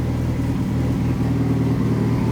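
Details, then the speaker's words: Fully built Mitsubishi Evo 9 four-cylinder during break-in: deep steady idle, even pulses, no misses, knocks or hunting; smooth and well tuned. "The car is like perfect right now. But it sounds really good, bro."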